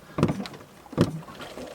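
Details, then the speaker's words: Brand-new hand pump with new Jabsco Y valve set overboard, pumping out a sailboat's black water tank: three even slurping, gurgling strokes about 0.75 s apart; discharging properly. "oh wait can you hear it oh she's pumping oh we're discharging baby success"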